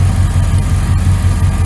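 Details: 1999 Dodge Ram 1500, 5.9L V8 gas, idling after a new starter, belt tensioner and idler pulley (old pulley bearing badly worn): deep, steady idle with an even low pulse and no belt squeal, chirp or rattle. Normal idle.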